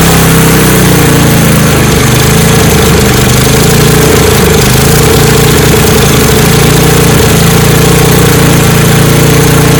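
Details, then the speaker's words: Snowblower that would not start, restarted after fuel-system and carburetor repair, no priming needed as it had already run once, choke set between open and closed; loud, steady single-cylinder putter running smoothly without misses. "I'm going to change the choke control and then you can hear the engine running I shouldn't have to prime it since I've already ran it once but here we go again choke is somewhere in between"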